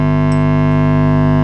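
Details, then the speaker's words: Marshall Origin 50 valve guitar amp on low power: loud, constant low buzz with stacked overtones, unchanged by any controls, so from the output stage; suspected failed smoothing electrolytic capacitor, not confirmed. "oh i can hear a hum now do not like the sound of that horrible that's a really loud hum"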